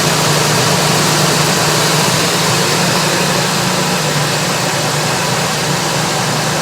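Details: Ford Expedition engine idling after starting by grounding the starter solenoid: steady, even idle hum with no stumble or knock under some hiss; engine running normally.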